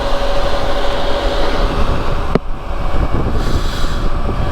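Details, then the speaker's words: Motorbike on Metzeler Tourance tyres at 60 mph: steady mid-pitched whistle over road and wind roar, then drops away, occurring at certain speeds; tyre whistle, possibly from tyre wear, not confirmed. "There's a lot of road noise coming from them. I don't know whether that's due to how they're wearing, or leave a comment below if you've experienced the same thing with Metslet Tourance tyres."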